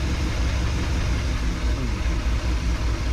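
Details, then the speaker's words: 1961 Chevrolet Parkwood wagon with new exhaust, idle being set with the mixture screws: a low, uneven rumble surging and dipping at about 650–700 rpm. A rough, hunting idle. "I got her down to about 650 to 700 she's bouncing"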